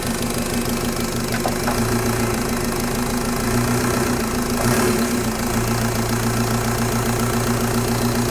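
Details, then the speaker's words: Mk1 VW with M-TDI swap and Bosch VE injection pump, short on fuelling: diesel idles with uneven, knocky clatter and wavering speed, worse after the lever stack was moved counterclockwise relative to the input shaft; rough running from incorrect throttle lever position. "All right. I would generally say that was worse. And what I did was I moved the lever stack counterclockwise with respect to the like input shaft."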